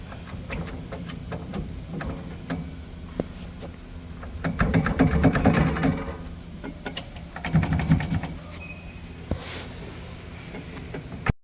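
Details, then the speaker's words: Raymond 770-R45TT forklift, steering gear turned with the shielding open: rough clicking rattle with bursts of grinding from a completely worn steer bearing and race assembly, found while chasing a G4 code. "And this is just illustrating how wore out the bearing and bearing race assembly is."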